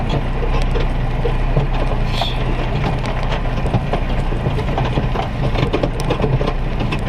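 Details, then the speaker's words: Smart car rear passenger side: irregular creaks and squeaks while driving, persisting after replacing drive shaft, spring top mount, anti-roll bar bushes, drop links and bump stop; takeoff judder fixed, creak source still unknown. "So after all that work, hasn't really changed anything, except for when I lift off to accelerate from start off, there's no judder from the back. So it's resolved one issue, but I still got the noise."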